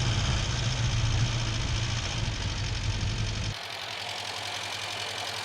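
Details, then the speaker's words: Barn-find car on its first drive in over ten years, idling with an uneven, loping beat and occasional stumble and popping: a slight misfire. Owner suspects timing and plans new plugs; cause unconfirmed. "Definitely misfiring still slightly. Not a massive miss. That might be timing wise. Hear it popping through there a bit."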